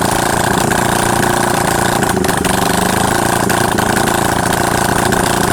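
Loud, crisp twin beat at a steady pace with no ticking or knocking; engine runs clean and healthy.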